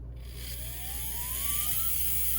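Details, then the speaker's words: Motor for a Bowser PRR M1 4-8-2 HO scale steam locomotive kit, run after oiling: whines up as it spins, fairly smooth with a faint leftover bearing hiss. The front bearing is suspected, and more oil helped. "so yeah as you can hear there's definitely bearing noise so i'm gonna put a little more oil into that front one i think that's where it was coming from"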